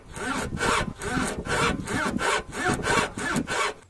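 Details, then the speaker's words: VW Polo 9N3 GTI 1.8T past 200,000 km: rhythmic rubbery creaking, about two groans a second, from dry worn front stabilizer bar bushings; silicone grease helped temporarily, bushings then replaced. "2つ目はフロントのスタビライザーブッシュですこの部分ですね20万km超えたあたりからこのような異音がするようになりました"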